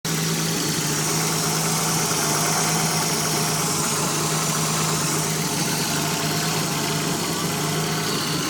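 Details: Nissan 300ZX Z31 at idle; steady idle with a strong hiss over a low hum, a vacuum leak.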